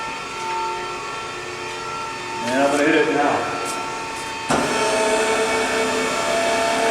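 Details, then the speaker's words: Technidrill GD/BTA-2.5-40 combination gun drill and BTA machine, hydraulic pump gearing up when advance tailstock is pressed: tone climbs as it loads, then settles into a louder, steady, even hum with no knocking. Normal pump operation. "So if you want to go back over there on the tailstock, I'm going to hit advance tailstock. You'll hear that pump gear up."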